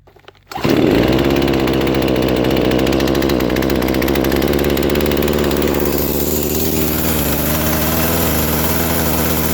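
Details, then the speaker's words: Poulan Pro chainsaw that won't stay running, restarted after lowering the low-speed screw until the chain stopped: fires into a buzzy idle that wavers, sags and hunts as if about to die; owner suspects carburetor mistuned or flooded, or debris from fuel. "I think she might need to rest for a little bit cuz sounds like the carburetor is not right where I want it to be"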